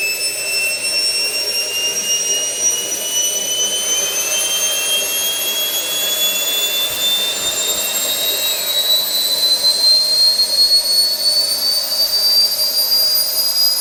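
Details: SWIWIN SW220B micro turbine on test stand, third run with max rpm set to 110,000: clean high whistle climbs evenly in 3.5 seconds to steady top speed, pump auto-calibrating, about 45.5 lb thrust, no surging; normal spool-up.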